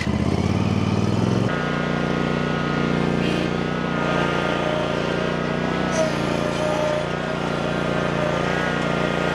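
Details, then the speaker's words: Land Pride ZTS 48-inch zero-turn mower, started with choke after slow cranking: brief rev then steady even run, engine sounds good, transmissions responsive with only a slight whine and no groaning; normal running. "She's a little funky, but she's a good runner. Might need a little tinkering here and there, but the engine sounds good and the transmissions they seem to be working really good, too."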